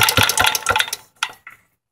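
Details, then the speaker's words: Antique Clinton vertical-shaft engine converted to horizontal shaft, idled way down with muffler off: sharp high ticks each beat as the tappets touch the valve undersides; the flywheel-side main bearing is also worn. "you can actually hear the tappets you can hear the cabinets touching the underside of the valve that's what that high pitch is"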